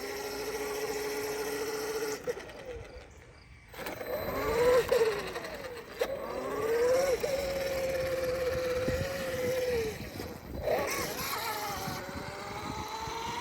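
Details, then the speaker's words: A Traxxas X-Maxx eBay belt drive after slightly loosening the overtight belt via the inserts gives a motor whine that swells and fades with throttle bursts. The car keeps rolling freely off throttle, so the belt no longer drags. "put just pushing it sounds a little better doesn't sound like there's as much tension on that belt so let's try it out again I mean you can still hear the belt"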